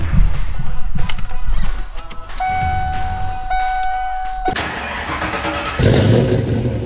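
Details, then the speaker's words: 1992 Ford Fox Body Mustang LX 5.0 302 with Comp Cams XE266HR camshaft, dyno tuned, start: catches into a loud lumpy choppy cam idle that begins to settle; normal, despite owner's low-rpm bucking, surging, stalling complaints. "all right folks you can hear it's starting to settle itself out now so now we're gonna start the tests first things first I'm gonna unplug the idle air control valve"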